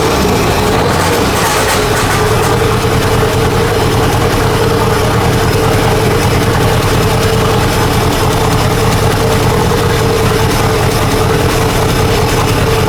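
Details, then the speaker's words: Nissan S15 revived after fuel system work (tank refitted), exhaust removed with only dump pipe fitted, intercooler plumbing partly off: loud unmuffled idle with uneven stumbling beat, one cylinder sounding dead; rough misfiring idle, cause unconfirmed. "doesn't appear to sound the greatest. The whole exhaust is off though from pretty much, it's just got the dump pipe down because we had to take all that shit off for the cradle and fuel tank. But yeah, I see what Alex means. It's not running too good."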